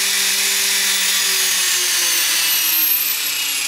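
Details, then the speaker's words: iKon helicopter on a bench test without blades (no head load): motor tones drift in pitch over airy whirr as the head spools up with pitch pre-compensation. "okay so I just hit hold again and see it was slow again okay so what I'm going to do this time is I'm just going to flick out and it's going to spool up"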